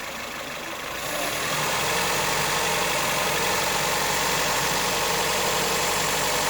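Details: 2008 Ford Fiesta 1.4 petrol engine with a distinct knock at idle, a faint regular tapping about four per second that smooths out as revs rise and returns as revs drop. Origin unknown.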